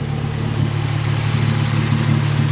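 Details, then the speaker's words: Nissan 350Z engine idling smooth and even with a steady pulse and no knocks or ticks; normal idle, battery weak and needing replacement or cleaning. "The engine sounds pretty good. Just needs a new battery or clean that one up."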